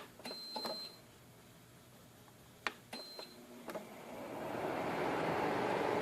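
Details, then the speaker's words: Delonghi Penguino portable air conditioner, first start after cleaning; before this it would not blow at all: a few panel beeps, then a soft airy rush builds and settles into an even, steady blow of cool air. Normal fan start after the fix. "Okay, in case you can't hear the fan going, you can see it's blowing."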